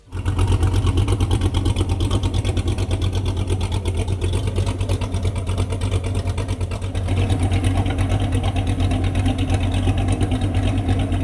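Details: C8 Corvette LT V8, reassembled with an aftermarket cam and bolt-ons before dyno testing: a deep idle with a loping, choppy beat that stays steady and even, a healthy engine with an aggressive cam.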